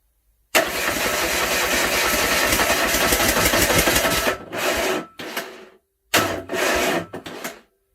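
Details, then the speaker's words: Land Rover 300Tdi diesel swapped into a Ferguson TE20 tractor, first start attempt without turbo pipe or exhaust, lift pump not working. Starter cranks briskly about four seconds, then short stabs, no firing; air and milky water in the fuel system. "I would say that's a bit of air in the system now [Music] we've had a lot of uh water in the fuel system you can see here how it's been milky"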